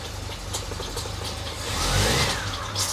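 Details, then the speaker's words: 1973 TVR 2500M, first start after new wiring harness: engine running rough with a wet, squishy hiss rising over idle; heavy oil leak as the aftermarket oil filter adapter spat out its outer O-ring. "Oh, I'm hearing something. I'm gonna shut it down and see what's going on. What was that noise? Sounded squishy. Am I losing, oh yeah, I got a lot of oil coming out."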